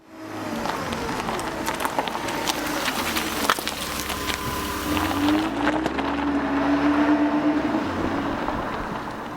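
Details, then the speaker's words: 1972 Mercedes 280SE 4.5 with D-Jetronic fuel injection, stored since 2011, first start with starting fluid after fuel injection work: steady even running with no misfire or stumble; injection system now working. "All right, give it a crank. Woohoo! Not bad. Coming out of storage since 2011. How's that for a day's work?"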